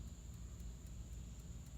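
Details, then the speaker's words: 1954 Chevrolet 210 (chopped, Bel Air trim), during rewiring under the dash after the wiring fried: the dash clock, which never seemed to work, is now running with an even tick about four a second over a low hum. "Gang, that ticking, it appears to be the clock."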